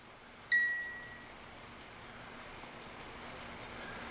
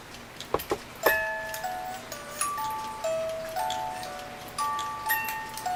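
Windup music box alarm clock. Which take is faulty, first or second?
first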